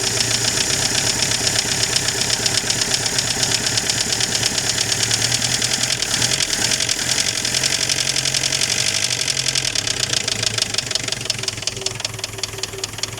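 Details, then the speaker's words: Chrysler Galant 1600 wagon, sitting 30 years, first run: rough idle with a steady, clattery knock about three beats a second, like an old diesel; unsure whether a loose tappet or a knock, blow-by noted. "She got a bit of a rattle. I don't know if it's a loose tap it or a knock."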